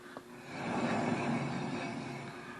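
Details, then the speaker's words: 1968 Dodge Coronet, driver's-side (left) front wheel spun by hand, camera close to the wheel: rough low grumbling rush that swells and fades, unlike the right side's slight pad drag; bad wheel bearing. "And we'll spin the driver's side. If you can hear that difference, you hear that grumbling in"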